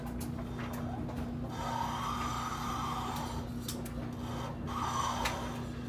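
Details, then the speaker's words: Kenmore HE3t washer, warm, with new bearings about a week old, drum turned by hand; faint scraping rub with brief squeaky bursts and little resistance; owner suspects the seal but is unsure; drum rubbing screech. "not much in the way of resistance but definitely a pretty scary sound seems to stop a little bit quicker i think it's a seal i'm not sure though"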